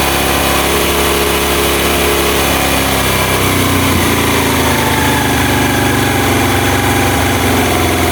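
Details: Honda Mega Pro mono single-cylinder, hard starting and stalling at idle traced to an air leak: idle settles and evens out after the carburetor air screw is turned; smooth running, no hunting or stumbling.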